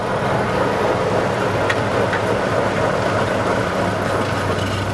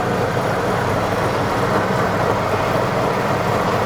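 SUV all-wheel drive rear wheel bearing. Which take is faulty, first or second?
second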